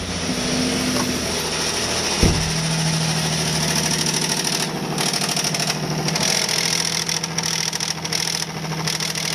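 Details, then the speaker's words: Car with the check oil pressure light on, idling after engine flush chemical was added: fast uneven metallic slapping rattle. Low oil pressure at the tensioner leaves slack, so the timing chain slaps against the broken chain guide. "guess you hear that noise. Whenever we had the cover off, I noticed that the timing chain guide was broken."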